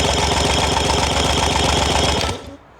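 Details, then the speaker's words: Compression test cranking on a rebuilt, rebored Yamaha 75hp outboard being uprated to 90hp, gauge on number 3 cylinder: even beats about four a second, each stroke equally strong; readings 128, 125, 128 psi against a 110–120 target, a good power head. "128. So 128, 125, 128. So we're going to say that that is a good power head. Very pleased with that."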